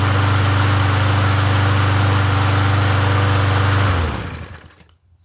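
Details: Yard Machines 21-inch push mower with 163cc engine after oil change: fires on the first pull and runs at an even fast rhythm without surging for four seconds before shutoff; runs healthy.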